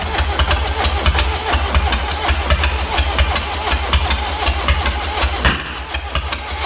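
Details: 1.6 HDi diesel at start and idle: an uneven ticking knock, about eighty a minute, over the clatter; timing chain, camshaft, tappets or bent valves suspected, not confirmed.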